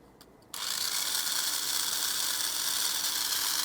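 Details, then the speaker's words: MA chassis mini 4WD box-stock car: motor kicks in and settles into a smooth, steady high whir, no catching or rattle; running freely. "That sounds better. Now we'll charge up the batteries, and then we'll give another speed test and see what happens."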